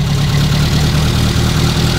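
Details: Renault R8 Gordini rebuilt engine restarted after a slight idle-screw adjustment on its first start, with no coolant yet: a low, steady burbling idle with an even beat and no misses or knocks. Normal idle.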